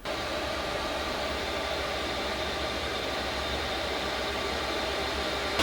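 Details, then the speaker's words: HCALORY 5 kW diesel air heater in an ambulance camper, tested before controller swap: soft, even blower rush with steady low hum and fuel pump clicking, no rattles or surging; running quietly, producing warm air. "Yeah, and I hear the fuel pump clicking. Oh yeah, see, this heater is nice and quiet."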